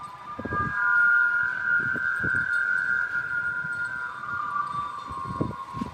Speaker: some describe it as the sound of a wailing ghost or others say it's like a church organ the noise only happens when there's a strong wind blowing and in a certain direction